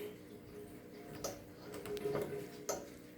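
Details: Shimano Stradic spinning reel after replacing the faulty bearing that caused a scraping sound with a new stainless steel one: quiet, even reel turning with a few light clicks, no grinding or rasp, normal smooth rotation.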